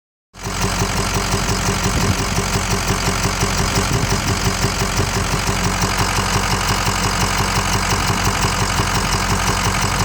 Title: 6.0 powerstroke clicking noise